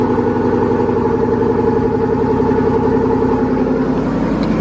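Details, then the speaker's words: Cold idle after sitting unstarted for a long time, with the garage door open. It is a bit smoky at first, then a steady, even low burble with a constant beat and no misses or knocks. It runs healthy. "It's been a fat minute since this thing's been started. But it sounds good. She's running healthy. Everything's good."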